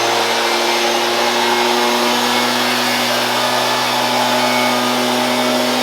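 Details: Shindaiwa EB802RT commercial backpack blower after new carb gasket (old lacked crankcase pulse holes), previously died on acceleration: steady high-pitched roar at constant speed with no surging, sputtering or dropouts; runs healthy.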